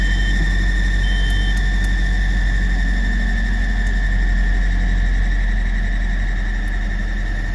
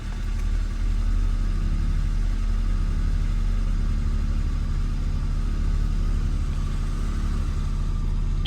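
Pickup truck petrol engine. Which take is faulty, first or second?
first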